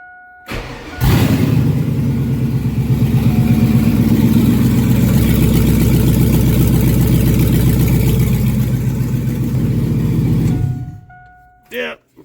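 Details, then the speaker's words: 2001 Chevrolet truck started with exhaust removed, running on open headers during a catalytic converter swap; starts and settles into a loud raw lumpy rumble with deep unmuffled pulsing. "I'm curious as to what the truck sounds like without any exhaust just open headers um I think it'll be cool sounding just to hear it"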